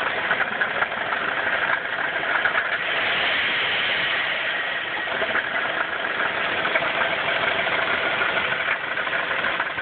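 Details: 1994 Chrysler 3.3 V6 with 77,xxx miles: dull even knock over a rough, rattly idle; owner thinks at least one rod bearing is bad, unconfirmed. Knocking at idle.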